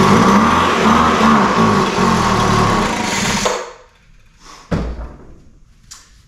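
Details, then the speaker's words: Poulan Pro 200 mph two-stroke leaf blower, non-runner, fitted with a replacement spark plug and given a start-on-spray test. Fires and buzzes hard for about three seconds on spray, then dies; spark and compression are fine, so fuel starvation from carburetor and fuel lines. "so as is the case with most of these we have a carburetor fuel issues so we're going to pull the carburetor off of this one"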